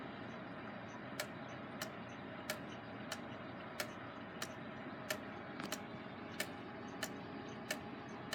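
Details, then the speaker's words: Gilbert long-drop octagon pendulum clock, back on the wall after rebuild, springs not fully wound: quiet limping tick-tock about a hundred a minute with alternating long and short gaps, only slightly out of beat while the crutch is being bent to adjust. "not really attempting to move it much because the beat I don't think is very far off and we need to just swing the pendulum adequately enough here"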